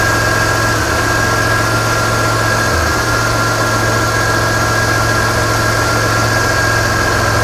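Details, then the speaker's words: Engine idling with an intermittent misfire, one brief stumble audible; crank sensor signal dropping out on scope, crank sensor fault suspected, wiring being ruled out. "yeah we're still missing oh it's better this is absolutely not going to be a wiring problem this is what it should look like there was a drop you can hear the miss watch the screen"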